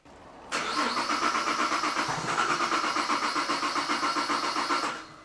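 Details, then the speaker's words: Holden VZ Commodore V6 ute with an intermittent rough-idle miss, after new spark plugs and two replaced coils, cranking on the starter at an even beat; equal compression pulses on the oscilloscope suggest no mechanical issue. "they are fairly even considering that it was winding up at the time so look I don't believe that we have a mechanical issue with this Miss"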